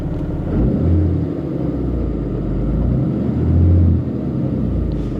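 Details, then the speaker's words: 1983 Porsche 928 S at idle, alternator charging over 14 volts, oil pressure about 65-70 psi; steady, even low rumble with no knocks, ticks or misses; sounds healthy. "it sounds healthy it sounds really healthy"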